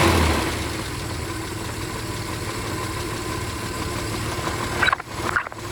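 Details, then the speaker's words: 1968 Kaiser Jeep M725 military ambulance, first run in 15+ years, cold, on an electric fuel pump after carburetor rework; a steady, even idle with no knocks or misfires, just some handling noise near the end. No oil pressure. "I'll let this warm up a bit since it hasn't ran in a very long time."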